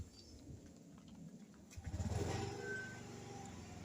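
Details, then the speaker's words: Honda Zoomer X scooter with idle-stop: engine shuts off while stopped at a red light, then a small throttle twist restarts it instantly into an even, steady low idle thump; normal idle-stop restart, which a switch can disable. "มีเครื่องยนต์ก็จะทำงานแล้วก็ไปเขียวว่าจะขึ้นครั้งตามปกตินะครับ"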